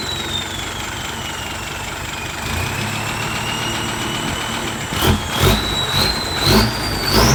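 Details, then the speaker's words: Diesel with a newly installed replacement turbo (old one had a broken impeller), exhaust pipe refitted: idle with clean high whistle that sags then climbs sharply on each throttle blip; turbo spooling smoothly, sweeter than before. "โอเคลุยงานได้ครับมาดฐานจริงๆครับเสียงหวานกว่าเดิมอีก"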